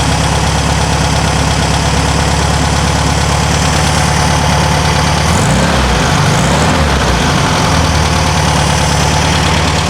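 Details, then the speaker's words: 1974/75 VW Super Beetle air-cooled engine with a new Pertronix ignition, refired via bump button after timing work, airbox off: deep, regular putter holding a steady beat with no misses or clatter; healthy idle. "all right bumps over fires up sounds good"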